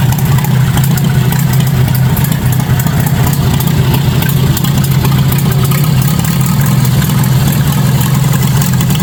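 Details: 1953 Farmall Super A tractor, first start after barn storage, with the carburetor jets cleaned, the stuck float freed and gas bottle-fed through a fuel line: a low, steady, even putter at idle with no misses or knocks, running normally.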